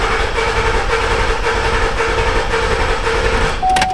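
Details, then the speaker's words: 2012 Buick Enclave 3.6L V6, misfire persisting after coils and plugs, jump-started: cranks with a lopsided, uneven cadence from a cylinder very low on compression, suspected number 6. Starter also noted as bad. "Did you guys hear the cadence of that crank? That's my best impersonation of a 3.6 I can do. That tells me that we have a cylinder that's very low on compression."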